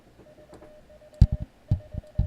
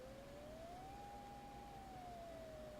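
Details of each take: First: Elecraft K2 kit in the keyer test, built-in keyer; the dash had not worked on the paddle earlier. A steady mid-pitch beep keys out dots and dashes with nobody on the paddle. The keyer is sending on its own, cause unknown. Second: Elecraft K2 kit, side tone set to STP 0.60 (600 Hz), speaker held to the mic, pitch varied with the VFO between 400 and 800 Hz. A clean single tone glides up to about 800 Hz, then back down and settles near 600. Normal side tone.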